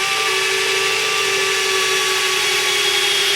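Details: FMS BlitzRCWorks Super B-25 RC model electric retracts extending with a steady, even motor whine; operation sounds normal, though gear door servos buzz elsewhere.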